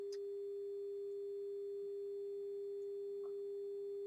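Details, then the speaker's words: Amplifier 41262 final test after about 18 hours run-in: steady pure tone with no hum, crackle or dropouts; output flat within a fraction of a decibel from 20 Hz to 20 kHz. "They haven't changed a fraction of a decibel from 20 hertz to 20,000 hertz."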